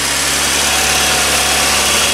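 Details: 60-year-old Triumph TR3A, first start out of storage after priming the fuel pump, on light choke warming up from cold: a steady fast idle, even and unbroken under hiss, and it has oil pressure. It survived storage; a normal cold-start idle.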